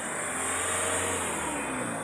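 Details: Mahindra Thar ROXX, new and low kilometres, returned from several dealerships with a booming engine-compartment noise when accelerating from 30-40; after the fix, a smooth, steady engine note under light throttle with no rattle or buzz; normal revving.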